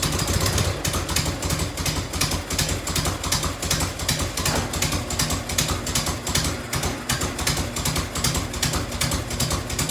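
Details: 1990 Harley FLHTC Evo V-twin, cold start on choke and fuel reserve, heat shield off. Loose lumpy idle with sharp ticks on each firing pulse, about two or three a second: exhaust leak at a crooked header clamp.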